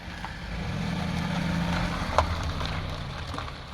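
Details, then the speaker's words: 2002 Honda CR-V 2.4L AWD rear wheel after repair, backing up: only soft even road and tyre hum, no grinding or rhythmic rub; wheel noise gone, normal rotation. "hear so pretty much the noise is gone which is good then I don't have to deal removing this uh the router which is not easy to remove at all"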